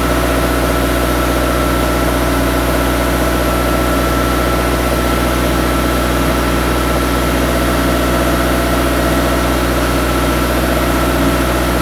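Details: Turbocharged engine idling after a five-month winter build, before a clutch and shift test: steady idle with a faint whistle above a constant low hum, no knocks or hunting; starts and idles fine.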